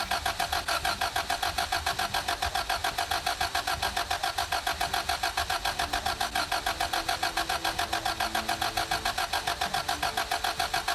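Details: 2003 Toyota Camry: the starter spins the engine in an even, quick rhythm of about seven compressions a second, but it never catches. Cranks, no start.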